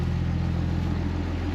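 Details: 2005 Ram 2500 diesel after the FASS lift pump and fuel line replacement, running on fuel from the tank where it previously died: a steady, even, low idle that holds without stumbling. No leaks; a normal diesel idle.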